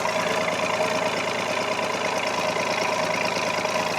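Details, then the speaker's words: Carbureted 4WD pickup idling in 23°F cold, listening at the exhaust of the good bank's three cylinders (the other bank has one bad cylinder): an even putter with a regular firing pulse and no miss. Normal idle. "So this is 3 other cylinders that, you know, same temperature, same thing. Here's the other 3 cylinders that are hitting correctly."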